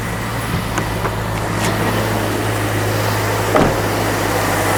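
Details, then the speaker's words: Jeep after replacing a sticking canister purge valve that caused intermittent low idle: steady, even low idle with no stumble or hunting, running cleanly. "Yep, sure enough, starts, runs just fine, but hopefully I don't have any more of those intermittent low idle issues."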